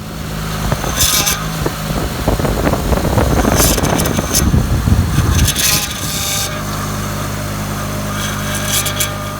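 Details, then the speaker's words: Honda Pilot at idle with low power steering fluid and heavy steering. Rough, grinding groan rises and falls as the wheel is turned; steering goes hard, then eases when the noise comes. Fluid is low and bubbling out of the reservoir. "So whenever it'll be hard to turn, and then whenever it makes that sound, I'll kind of feel it ease off and it's easier to turn. So it'll build up pressure and then it kind of like lets go is what it feels like."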